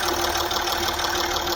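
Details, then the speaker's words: Land Rover Discovery 3 at full oil temperature after a climb, new OEM Ford oil pump fitted for low oil pressure, 5W-40 oil, mic held close: steady idle with light ticking thought to be timing chain, no lower-engine rattle. "no rattling i hold it in here i mean i hear it ticking here but i think that's our timing chain yes but i hear no red link from the lower engine"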